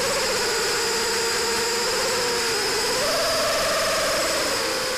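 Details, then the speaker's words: FPV multirotor during PID tuning with P gain set too high: fast buzzing motor tone surging and dipping several times a second as motors rapidly accelerate then nearly shut off; oscillation from excessive P gain, aircraft still controllable. "my ke gain is turned too high notice how it does very fast oscillations listen carefully to the sound of the motor making if they rapidly accelerating and then nearly shutting completely off"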